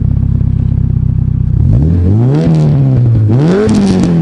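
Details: AWD Honda Accord: lumpy idle rising into two clean rev blips, pitch following throttle, no hang-up or stumble; normal revving.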